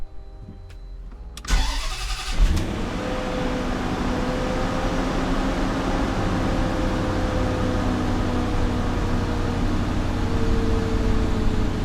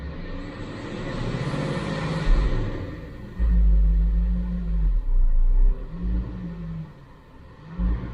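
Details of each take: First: Supercharged Range Rover (L322) after its MAF sensor was cleaned and PCV valve replaced, throttle body not yet cleaned: a brief crank, clean catch and quick flare, then an even, steady idle with no misses; it starts fine but the sound is no different yet. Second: Supercharged Range Rover (L322) V8, bought for $850, after a transmission service: a deep rumble that swells and sags unevenly while returning to idle after revving, a surging, hunting idle. The cause is not yet known; MAF cleaning and a PCV valve replacement are planned.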